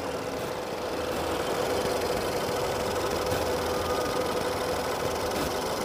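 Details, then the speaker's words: 2.0-litre Honda Accord flood car at auction, just started: low, uneven idle with a faint irregular tick and a weak wavering beat, like it wants to stall; rough idle. "sounds like she's gonna die on me all right um not bad"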